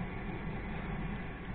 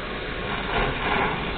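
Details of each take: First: Well pump station with digital pressure regulator mounted in the kitchen, not on the station; after sealing the leaking spot with sealant, steady even hum and smooth water flow, no longer drawing air. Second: Well pump station with a digital pressure regulator in the kitchen, a Chinese motor fitted, and a check valve that holds pressure: when the tap opens, water comes with air in rushing, uneven surges as the station sucks air.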